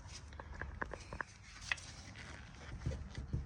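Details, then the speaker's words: 1998 Ford Mustang GT (SN95) front wheel bearing, wheel raised off ground and rocked by hand: sharp dull clunks in quick bursts from free play, definitely a loose worn wheel bearing, before replacement with new bearing assembly. "you could just grab it kind of give it a shake okay yeah definitely a loose wheel bearing"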